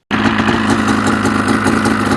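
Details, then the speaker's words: 2005 Ski-Doo Renegade SDI two-stroke with a backfiring issue (owner suspects PTO crank seal), started cold outdoors; crisp two-stroke rattle at steady idle, even firing with no sputter or pop in this stretch, idling fine; normal idle. "as you can see it's running pretty well idling fine"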